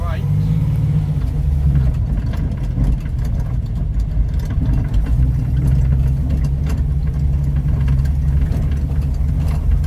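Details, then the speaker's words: Ford Capri 3.0L V6 race car replica, first drive after 20 years stored, recorded from the back seat over a bumpy field: low engine drone rising and falling with throttle, no knocks or rattles; good oil pressure, good charge, running perfectly. "Really nice. Everything is running perfectly. Good oil pressure, good charge, fuel in it."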